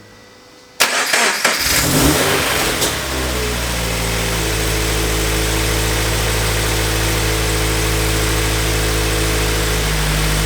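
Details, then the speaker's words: Turbo Scion FR-S after fitting an idler pulley kit, following an earlier thrown and chewed accessory belt with noisy idler pulleys: a quick rev, then a smooth steady idle with no squeal or chirp. Normal accessory belt drive. "all right so i think it's safe to say that the belt is uh working since the water pump appears to still be functioning at this moment"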